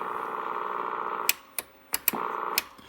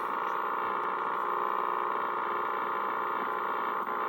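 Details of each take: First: Drake R4B receiver calibration board: steady low buzzing tone while the square-wave calibrator runs, cut off by switch clicks; AC ripple from a failing 1000 µF filter capacitor, and jumping another capacitor across it should improve the sound. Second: Drake R4B receiver calibrator whose hum comes from AC ripple on the -80 V supply. With a 330 µF capacitor temporarily jumped across the bad 1000 µF filter capacitor, the rough buzz gives way to a clean, steady tone near 1 kHz.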